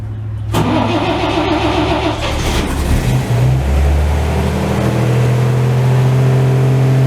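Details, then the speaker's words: 1949 Chevy truck with carbs, sat three weeks, cold start at 32°F after cranking with ignition off, choke set and three pedal pumps. Cranks briefly, catches cleanly, flares, settles into steady fast idle on choke: normal cold start. "Alright, I'm going to set the choke, turn the ignition on, let's see what happens."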